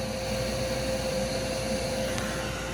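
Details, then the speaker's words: Furnace after fixing a 3-blink pressure switch fault: steady whirring hum, no rattle or wobble, inducer motor running normally. "three blinks continues blink which means is calling for he and do some other sounds much better Oh oh wow we got ignition guys time for liftoff"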